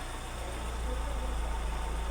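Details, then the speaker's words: Opel Corsa B, rebuilt engine, new engine harness and ECU, faulty non-OEM idle valve: low idle slowly rising and dropping, hunting rather than steady; cause not confirmed. "Is idling stable? Kinda. I'm not happy with the idling because it drops and comes up and you can"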